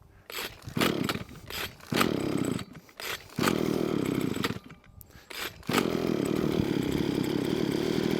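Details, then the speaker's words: Hitachi B230 two-stroke line trimmer on new cheapest Amazon carburetor, just off choke: blips up and down, then settles into a steady, even buzz at a slightly raised tick-over, running better than before. Normal idle. "it's increasing tick over rev slightly up the top [Music] now it's already doing more than what it did last time"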